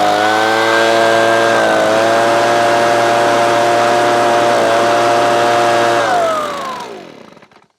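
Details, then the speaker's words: Titan two-stroke leaf blower after repair, safety micro switches bypassed for a simple on/off switch: steady even drone holding constant pitch for six seconds, then shuts off cleanly and winds down; running healthy. "So there you go. One Titan leaf blower, now all running."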